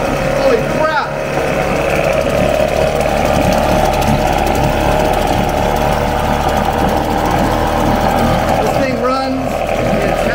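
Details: 1994 Mercury 5hp longshaft single-cylinder two-stroke outboard, said to have last run 5-7 years ago, first start with the plug back in, smoking, choke being backed to half: steady, even two-stroke buzz at constant idle, no misses or surging; running smoothly.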